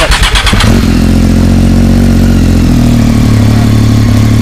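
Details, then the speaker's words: Triumph Daytona 675R after throttle cable slack adjustment: starts with a short burst then holds a steady even low idle, rpm unchanged, cable not too tight; normal idle. "hear the idle RPM change at all, so that means it's not too tight"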